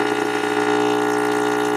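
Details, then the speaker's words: Tube radio receiver being diagnosed for parasitic oscillation, probe held near the rectifier: steady, even buzzing hum with rich overtones that never wavers, AC being rectified to DC; normal rectifier hum. "This is picking up the rectification going on inside this rectifier right now. So that's changing AC to DC and we're hearing it. That's what that sounds like."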